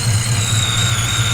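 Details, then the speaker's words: 1988 Ford Foxbody barn find with EGR still fitted, just started cold in winter: lumpy uneven low idle with a thin high whine above; owner suspects cold weather makes it rough. "There we go. So we can see the interior is looking much better in there, and car's a little angry most likely because it's cold outside."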